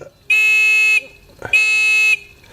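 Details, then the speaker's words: Discovery metal detector pin pointer after drilling holes in its housing to let sound out: two clear, loud, high-pitched beeps about two-thirds of a second each over quiet background; buzzer now loud enough. "So now let's detect something. I'll be able to hear that over the waves."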